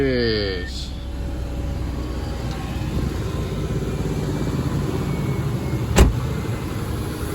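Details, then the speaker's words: 1998 Subaru Legacy Outback just after starter replacement: smooth, even idle, then a brief thump as the AC compressor clutch engages (AC kicked in); engine running normally. "AC just kicked in. That's what that sound was."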